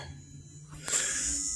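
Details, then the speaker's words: BMW X5 overheating after a shop water pump and thermostat replacement, pump intermittent until its connector was seated correctly: a thin, high, steady whine over a quiet workshop hum as the electric water pump runs. "pump is running Savage see I got the connector to work without the zippy tie now"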